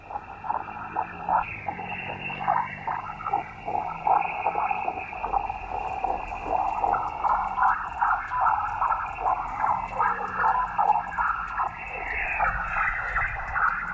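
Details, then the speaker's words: Icom IC-705 HF radio on 40 m near a Victron SmartSolar 75/15 MPPT solar charge controller. A warbling, buzzy hash with drifting whistles is reduced by noise reduction but still present: RFI from the charge controller. "let's try the noise blanker and noise reduction when noise reduction definitely helped let's actually increase the level of noise reduction on the 705 to see if we can get it down to at least an acceptable level"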